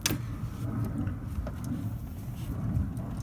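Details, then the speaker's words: Toyota Corolla after replacing the steering yoke (universal joint) sub-assembly: low even engine rumble with a few faint clicks as the wheels are turned, the former steering knock gone. "I'm turning the wheels right now, and I couldn't hear the knocking sound anymore. So it's perfect."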